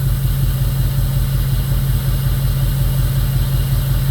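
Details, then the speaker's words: 2002 Jeep Grand Cherokee 4.7 HO with melting coils, seven new coils, one old and eight new plugs: low idle with a regular stumble nearly twice a second after a coil is unplugged and replugged. Cylinder miss persists; cause unconfirmed. "And it still clearly has a miss. Now it's doing it on this coil as well."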